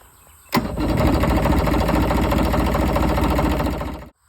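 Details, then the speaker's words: Yamaha 70 on jury-rigged battery connections, choke on, previously cranking very slowly: about three and a half seconds of uneven cranking at roughly four turns a second that never catches, then stops; it cranks but won't start. "So, earlier I tried to start it and uh it wouldn't start. Was real slow. So, now we'll give it a try."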